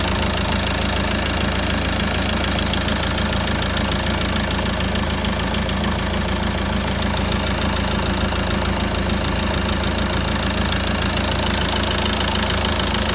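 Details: Peugeot Boxer 2.2 turbo diesel, about 426,000 km, cold idle: steady fairly even knock of roughly three per second over the clatter, likely valvetrain; owner suspects a weak-point part with valve collets dislodging, unconfirmed.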